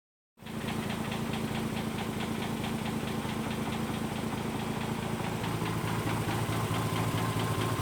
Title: RX8 engine knock